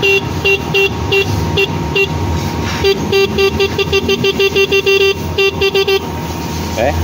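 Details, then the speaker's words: Motorcycle dual horn wired through a 4-pin relay, tested in the dark before rain: crisp repeated blasts with a steady, even two-tone pitch that is strong and consistent. The horn and relay are working properly. "Now, here's how the relay works. Now, because it's dark and it's about to rain. So let's listen to this horn."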